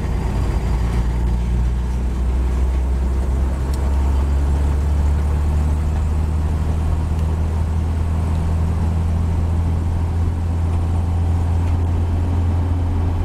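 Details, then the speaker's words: 1949 Chevy 3100 pickup, Stovebolt inline six with new Pertronix Flamethrower distributor, Igniter II module and Flamethrower II coil, cruising at its 40–45 mph sweet spot: deep, even drone under light load, no misses, knocks or surging; engine running smooth and healthy. "You know, that includes all your gearing and your fuel delivery, your timing, all that adds up, and you'll have a sweet spot where it'll just sing to you. And this truck is from 40 to 45."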